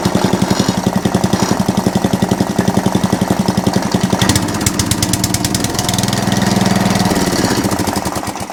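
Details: Atco Balmoral cylinder (reel) mower running with the cylinder engaged: a quick, regular flapping chatter of roughly four beats a second. A loose drive pulley lets the belt slap; owner calls the chatter minor.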